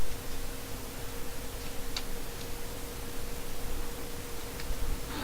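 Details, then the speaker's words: fischertechnik model driven by TXT controller motors: steady small-motor hum with sparse irregular ticks and clicks. A gear is rubbing against the front leg and a clamped rod is blocking the drive. "one of the gears against of the front leg and if you may remember that and clamps on rod that drive and complex and one of those rods took was blocking everything"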